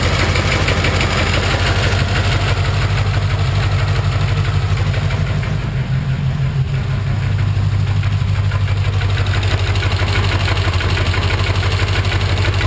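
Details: 1991 Corvette L98 V8 at idle: dull, fairly even knock about three times a second under the rumble; owner suspects rod knock, unconfirmed.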